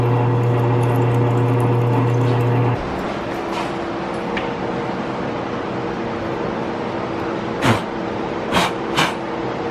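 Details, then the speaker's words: Subaru STI while driving: a few sharp single clunks from the rear about a second apart, over cabin and road hum. Owner suspects the coilover spring rate; unconfirmed. "And I don't know if you can hear that clunking. That clunking in the rear, I'm pretty sure is from the spring rate in the coilover,"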